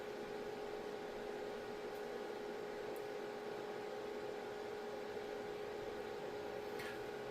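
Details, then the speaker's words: UKING ZQ02359 6x40W RGBW LED moving head beam fixture, LEDs off, mic about a foot away: soft steady cooling-fan hum with faint constant tone, audible but not loud, no coil whine; normal fan at idle. "I'm about 3 feet away, and I can hear it. It is audible to me, but it's not loud. It doesn't have an obnoxious coil whine to it. It's just, it sounds to me like a typical cooling system on a light fixture that has a lot of power to it."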